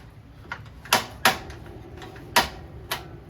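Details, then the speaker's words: 2022 Wildwood 28VBXL travel trailer stove burner, knob on high: sharp dry irregular sparker clicks about one a second in a quiet room as air clears from the propane lines before the burner fires; normal. "Then you're going to take the knob over to high, hit it with a sparker, and like I said earlier, just as it clears all the air of the lines, she'll fire up."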